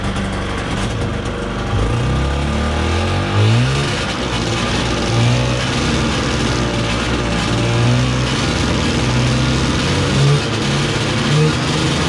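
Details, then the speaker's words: 1990 Yamaha Vmax 540 two-stroke snowmobile, first run after sitting for years: hard buzz with an uneven, stumbling beat that surges and dips. Intermittent misfire; owner suspects the very old spark plugs, not confirmed. "i'm wondering if the plugs are maybe bad on it they are super old so i better get some new plugs in it before i say anything"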